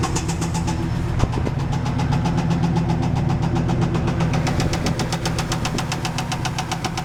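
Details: 1995 Camaro Z28 with LT1 V8, bought with a knocking engine, at idle: heavy deep knock about four per second, steady and loud, a bad rod knock.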